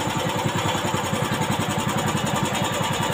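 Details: Old carbureted Honda Beat scooter, after fixing the electric starter that would not work: quick, even putter at about 214 firing pulses a minute, steady with no misses or stumbles. Idling cleanly.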